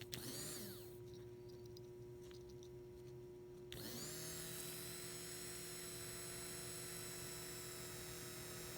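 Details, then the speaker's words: 2001 Toyota Sequoia at 217,000 miles that sputtered and would not start; fuel pump run on direct power from a battery charger. A faint hum, then the pump whine abruptly cuts in and holds. The pump works intermittently, then dies, on a bad connection. "oh look at that well it's working now but it wasn't working we actually ran the cable there and it didn't work oh it's dying that's a bad"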